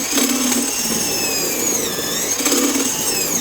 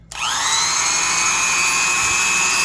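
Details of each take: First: Vintage Black & Decker Super Duty 5/16" D-handle drill, freshly reassembled with new grease, forward only, driving a 1-inch spade bit into pine: high motor whine sags in pitch each time the bit bites; motor bogging under heavy load. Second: Vintage Black & Decker Super Duty 5/16" D-handle drill, just reassembled after teardown, working through new grease, forward only, one brush cap missing: quick spin-up to steady smooth high whine, no grinding or rattle; normal no-load run.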